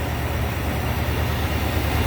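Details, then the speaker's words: 1984 Jeep Grand Wagoneer, 187,000 miles, newly rebuilt AMC 360 V8 with all new parts: deep even idle, steady low rumble, no ticks, knocks or hunting; quiet smooth normal idle. "See how quiet and smooth it is? Everything on this engine is new."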